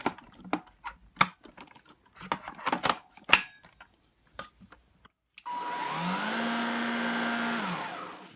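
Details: Gtech AirRAM Mk1 22V cordless vacuum on a full 22.2V 2000mAh Li-ion pack (six 18650 cells, four bars) before any repair: a few clicks, then the motor spins up to a steady, even whine for two seconds and winds down. Running normally.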